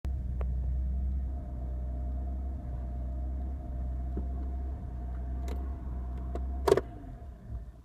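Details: BMW E46 325i with EML, DSC and brake warning lights: deep idle that sags and surges instead of holding steady, then cuts out; rough idle caused by a faulty electronic throttle body and two broken cables (throttle and accelerator pedal).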